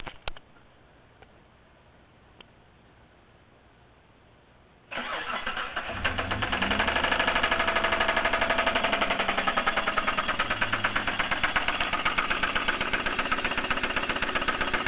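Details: Mitsubishi 3000GT starting after a few quiet seconds, then idling with a steady tick about four a second; owner suspects lifter tick or spun bearing, unconfirmed.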